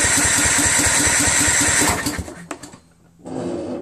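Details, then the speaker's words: Husqvarna YTH21K46 with Kohler Courage 21 HP after new carburetor and reinstalling magneto: starter churns at steady two-plus beats a second with no firing; not getting fuel, owner suspects fuel solenoid. "odd man well at least we know the magneto is on correctly or is it it's obviously not getting any fuel"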